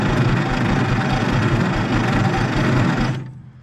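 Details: 1950s Galion 503 motor grader sitting 10+ years: slow, labouring crank at about three beats a second that never catches, then stops; sounds like a tired starter struggling. Cause suspected, not confirmed.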